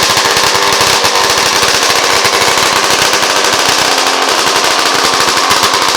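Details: Yamaha RD400 land-speed two-stroke after fitting restrictor pills in petcock-to-carb fuel lines to stop float bowl overfilling: sharp, rapid crackling exhaust beat steady and even at high revs, no stumbling or misfire; healthy.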